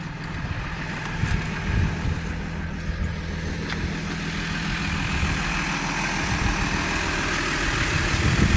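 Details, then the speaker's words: 2005 Audi A8 D3 after keyless start: smooth, low, even idle hum with no ticking or tapping, not a tick off the timing chain; quiet and healthy, normal idle. "Not a tick off the timing chain at all."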